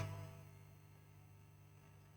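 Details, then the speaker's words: PC subwoofer amplifier powered on with nothing playing: a steady low hum from the power supply, caused by a bad 3300 µF filter capacitor that was then replaced. "It's some sound, but we have a noise. This noise is from the power circuit."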